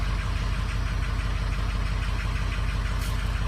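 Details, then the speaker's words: Diesel truck with 116,000 miles on a cold start. Deep idle with an uneven thump about twice a second and a sudden serious miss. Scanner compensating for weak injectors; cylinders 1, 3, 6 and later 7 reading low. Rough idle. "o I just got a serious Miss just happened something just missed"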